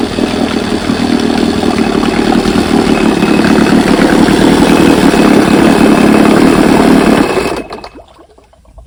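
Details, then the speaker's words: Rebuilt 1971 Evinrude 9.5 HP outboard, model 9122R, barrel test run: quick even two-stroke buzz, steady and clean, then winds down at shutoff; healthy running. "Got the hood right here painted up with some new trim put on it, and she runs great. Watch how this thing starts. Runs pretty darn good."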